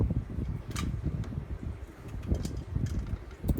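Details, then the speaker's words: Codep Stratosphere 52-inch hugger ceiling fan with a non-original light, running on high: a low, steady whoosh of air with a soft rhythmic pulse. It moves enough air to stir the curtains, with no ticks or rubbing; normal running. "But yeah, it is moving a good amount of air. Curtains are moving, so that's a good sign."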